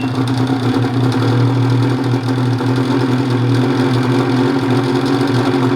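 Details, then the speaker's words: Banack-built turbo Gen 4 Ski-Doo 850 two-stroke sled, just after a fuel pump upgrade, new fuel filter and intake modifications. Fired in 3 pulls and gives a steady, even idle with no misses; the earlier weird idle seems fixed, not yet tested under load. "So it didn't really take much to fire it up. 3 pulls and fired right up. So I'm pretty happy with that. It did also before have a little bit of a weird idle, which it seemed way better today."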